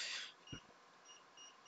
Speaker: mode is the mode where the multimeter will beep when you put two probe points together